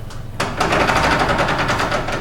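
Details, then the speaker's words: Ford F150 Dana 44 TTB front axle with newly installed Spartan locker, driveshaft locked, wheel turned by hand in the book test: quick even run of light clicks as it ratchets back; the locker works as designed. "And it ratchets back. And he'll hold it down and I'll do the same thing."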